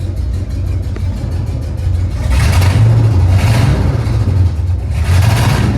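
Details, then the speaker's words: Chevrolet C3500HD, clutch pressed, revving: deep lumpy rumble stumbling unevenly as revs rise, heavy misfire with two cylinders not firing despite swapped coil packs; cause unconfirmed; more responsive than before, oil pressure good. "So, this is the best that it runs. Has ran, but you can hell tell it's got a hell of a misfire, but it's very a lot more responsive than than it was."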